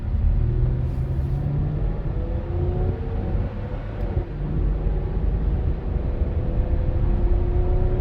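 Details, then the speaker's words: 2010 Lincoln MKX all-wheel drive, 210,000 miles, non-CVT automatic, accelerating hard downhill from inside the cabin: smooth rising rumble through the gears into overdrive, no ticks, lifter noise or rod noise; healthy engine under load. "So, and I tried to be quiet there so you could hear it. No ticks, no lifter noise, no rod noise."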